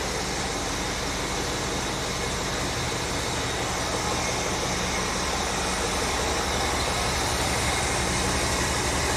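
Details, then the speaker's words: 1975 Ford F100 starts right up and idles evenly with a smooth low rumble, no knocks, stumbles or surging; runs like a cop, healthy idle. "okay she started right up yeah she did runs like a cop"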